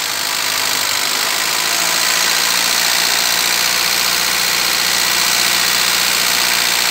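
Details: Vectra B over 20 years old: a high, wavering hunting idle that won't settle. An electrical fault in the wiring harness near the throttle position sensor is suspected; moving the harness briefly normalizes the idle, suggesting a bad contact.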